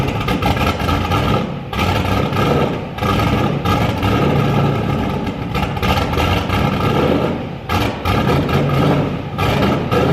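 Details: Turbo Firebird with COPO cam on E85, first start after build: loud V8 lumps unevenly at idle with throttle blips and uneven firing; tune still well off.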